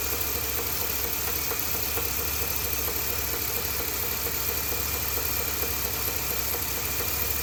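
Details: 2020 Ford F250 Tremor 7.3L V8 after dealer oil pump replacement (SSM51330), idling the night before it seized: a faint, uneven knock about twice a second under a loud hiss, suggesting internal trouble.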